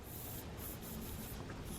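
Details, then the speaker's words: Screw pulled from a tyre of a BMW 318i E46 Touring, a faint steady hiss of air escaping; the puncture has gone right through the tyre. "so with the with that puncture in the tie that I just spotted I'm not going to bother to change all the wheels over now"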